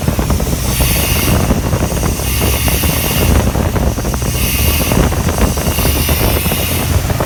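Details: 1987 Chevy Silverado K10 350 V8 with a rough, lumpy idle whose revs swell and sag every couple of seconds on their own, gaining and losing power; a surging, hunting idle, cause unknown.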